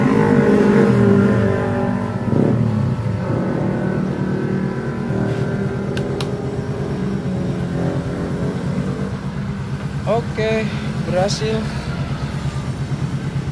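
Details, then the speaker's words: Yamaha Mio J scooter reassembled after the loud connecting-rod-like knock was traced to play in the one-way starter gear, not the connecting rod; now steady, even running with smooth revs and no knocking, sounds normal. "ada lagi suara-suara aneh, sekarang terdengar seperti sepeda biasa."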